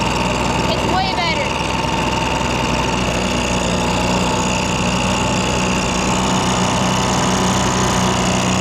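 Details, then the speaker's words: Abandoned small two-stroke leaf blower, after loosening a stuck throttle linkage that held it slightly open: it holds a steady, even buzz, running smooth. "seems to be running fine now so I'm just going to set a time lapse and let it rip again"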